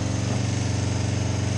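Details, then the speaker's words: 2005 Kawasaki Ninja 250 twin, just rebuilt with carbs, bowls, tank and filter cleaned and both cylinders now firing: even, quick pulsing that sits a bit fast for idle and never settles lower before cutting off; idle speed set high. "Sounds like it's running a little high now."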